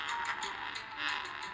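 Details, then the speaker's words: Asus FX503VD laptop internal speakers playing sound, with the left speaker blown: thin, tinny playback with no bass and a harsh crackly edge on louder bursts; blown speaker. "as you can see, if I play a sound over here, the left side of the speaker is blown up."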